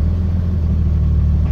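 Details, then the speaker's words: Toyota with a 2JZ-GTE swapped in place of a distributor 2JZ-GE, cold start with low temperature reading: smooth, even low rumble with a steady firing beat and no knocks or misses, a healthy idle, though the tachometer shows no rpm. "as you see the temperature is low so this is a cold start and it's idling fine which is pretty cool I like it"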